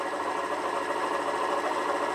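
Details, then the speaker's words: Derbi Senda Cross City 125 idle screw turned right, raising idle from about 1,700 to about 1,900 rpm: fast, even buzzing tick-over, quicker than normal; idle speed set too high. "So, I'm turning it round to the right. And the RPMs just shot up probably to about"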